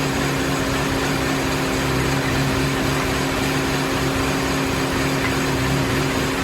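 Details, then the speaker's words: Mini after head gasket and timing chain replacement: steady idle with constant whooshing radiator fan roar from start-up, low even hum; fan kicks on immediately and car throws P0128 coolant temperature too low, same fault as before teardown, coolant temp reading suspected. "bad news is it's the same car it was when i took it apart hear the fan the fan kicks on the minute you start to start the car and it's throwing a p0128 coolant temperature operating too low"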